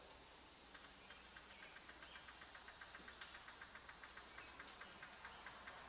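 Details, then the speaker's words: 1966 Plymouth Fury 383 V8, Holley 4-barrel swapped for factory cast-iron intake and Carter 2-barrel, hot restart settles into quiet, even idle with light regular ticking about four times a second; no dieseling, starts nicely, normal hot idle. "Awesome. Doesn't diesel, starts up nice. Engine sounds good."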